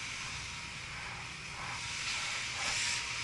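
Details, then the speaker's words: Luxaire package HVAC unit after blower motor replacement, drawing about 8 amps against 9.4 rated: steady airy rush of moving air, no knocking, rubbing or belt squeal; blower running smooth and normal. "9.4 i'm at 8 amps which is good i'm going to leave it alone 8 amps hey damn it's not bad i'm good with that"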